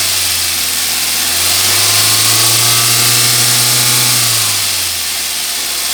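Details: Suzuki Swift petrol engine idles, then revs up and settles back, with a fast, steady ticking over it; engine noise, cause not identified.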